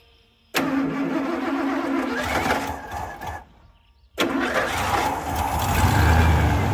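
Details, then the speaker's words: 1987 Ford F150 302 V8, automatic C6, 4x4: engine fires, sags and dies, restarts to an uneven hunting idle with a slight stumble; vacuum gauge reads low; fuel pump pressure verified good, greasy fuel suspected; rough idle. "Not idling very good. Yeah. It's got a tiny little stumble."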